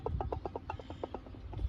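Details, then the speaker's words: 1999 Chevy Silverado 1500 4.8, water pump pulley rocked by hand: dry clicking knocks about eight a second; front bearing worn and loose, coolant leaking from weep hole. "what has happened is that front bearing is no good it's usually worn down when it's rocking like that that front bearing is let go"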